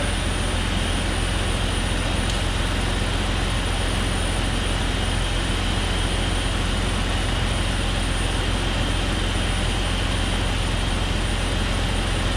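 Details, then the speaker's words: 2001 Jeep Cherokee XJ 4.0L at idle with a loud, steady rush of air, a vacuum leak that had worsened over time. A crack was found, and covering it with a thumb stopped the hiss. "I stuck my thumb right there and it made a it stopped the noise so you could hear it hissing maybe so that's definitely my issue right there"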